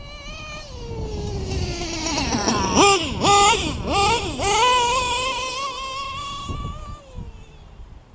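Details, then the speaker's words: LRP .32 engine with a Novarossi race carb on its first run of the day: a thin, high-pitched scream climbing and dipping through quick throttle blips at full throttle. The owner thinks the high-speed needle is a bit too lean and plans to back it off. "I think I got her a little bit too lean man she's screaming back off just a tad till the backup is running again"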